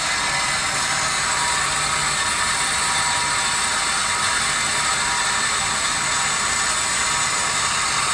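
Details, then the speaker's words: Meter Technology Works SM-15 bronze/no-lead water meter passing a few gallons a minute: steady hissing whir with fine ratcheting texture, about 74 dB max; normal running noise. "so we get about 74 until i start speaking but uh so that was our number on our bronze or no lead sm15"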